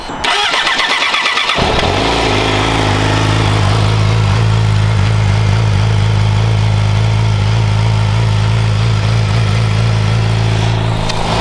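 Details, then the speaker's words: Yamaha R6 with Yoshimura exhaust, dB silencer still fitted, cold start: brief starter whirr, catches and settles to steady fairly quiet cold idle with even low exhaust note; healthy, not revved because cold. "I'm not going to rev it cuz it's cold but you get the idea it's fairly quiet for a sport bike and we're going to do something about that"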